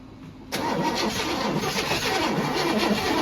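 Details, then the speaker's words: 1964 Chevrolet Impala sitting about 50 years, after new distributor cap, carburetor and points, with spark, compression, timing, plug wires and firing order checked: even cranking about four turns per second, never catches; cause unknown. "we're taking it to the junkyard we have tried everything I mean new distributor cap new carburetor new points spark checked everything compression checked everything"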